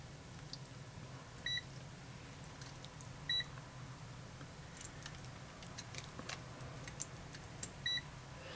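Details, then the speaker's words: AstroAI TRMS multimeters (M2KOR/M4KOR) diode test on in-circuit Schottky diodes: about three short high chirps spaced over several seconds, each chirping then showing voltage; normal. "yeah they're shock you so that's the right uh place but they both do a little chirp and then tell you the voltage"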